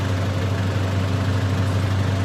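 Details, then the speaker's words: 2000 Mitsubishi Pajero 2-door GDI, AC being recharged with R12: even idle with a steady low hum as the compressor kicks on and holds; compressor running normally. "Nice. So, you definitely hear the compressor kick on. So, that's really good news."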